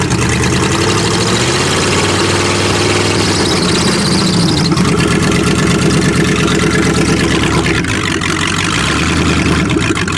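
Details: Hydrolocked car, one cylinder had water, some spark plugs still wet, on choke: the engine catches and keeps running with an uneven, lumpy beat of about three pulses a second, but stays alive.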